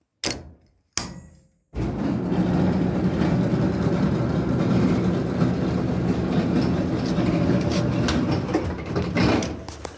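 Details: GE dryer starting after door thumps: loud coarse rumble from a faulty blower wheel.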